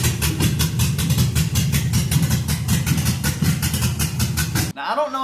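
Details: 1966 Ford F100 on 2008 Crown Victoria chassis with swapped LS V8, after replacing two failing coil packs and adding O2 and MAF sensors: deep lumpy cammed idle, steady chop, no backfires.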